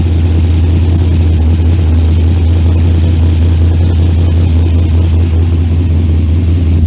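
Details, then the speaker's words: Junkyard LS V8 with HEI distributor after oil pump upgrade, running with just mufflers, recorded by cell phone from behind, not yet warmed up: deep steady loud rumble, ticking gone; normal idle. "Whole thing don't sound too bad with just the mufflers."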